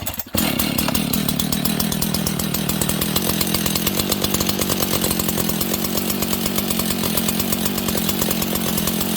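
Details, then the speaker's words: Husqvarna 61 chainsaw with a worn clutch and loose chain, idling too fast: fast, even two-stroke idle with a steady chain rattle; the clutch grabs at idle and spins the chain. "You see the chain, friends? So that chain is spinning."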